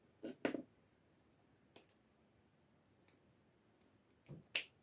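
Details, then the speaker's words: Relay being wired, switched by a small low-amp switch: sharp single clicks a second or more apart as it pulls in and drops out, crisp, healthy relay action. "and now you can hear hopefully that clicking on and off"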